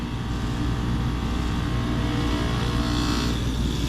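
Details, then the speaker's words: Old York R22 packaged heat pump with an intermittent defrost fault, forced into defrost again via test pins and defrost thermostat jumper after returning to operating pressure: steady compressor drone with fan hum dropping out midway; it shifts into defrost and the fan stops, unlike previous tries. "So that sounded like it went into defrost, and look at that, the fan actually stopped again this time."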